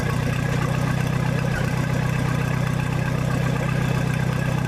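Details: 1966 U302 Super idling under its own power after earlier rebuild issues were corrected: a steady, even low rumble through a loud open exhaust with no misses or knocks, sounding healthy.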